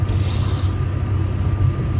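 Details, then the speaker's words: 1962 Mercury Comet, last registered 1974, with engine and transmission reportedly rebuilt. A deep, uneven rumbling drone is heard only while moving in gear, not at idle; transmission or drive shaft suspected. "There is a horrible, horrible noise coming from... It's only when the car is moving, not when it's idling."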